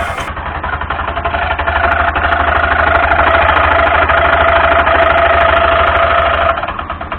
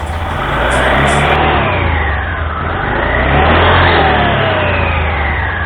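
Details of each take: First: Honda Scoopy (Scoopy Donut) automatic scooter at idle: loud clattering rattle, rough chatter about three times a second over the engine, from a damaged front roller housing/pulley and drive belt, before repair. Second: Honda Scoopy (Scoopy Donut) scooter after replacing a worn drive belt and damaged front roller housing that had made it noisy: it revs up and settles smoothly, with no slipping, judder or grinding.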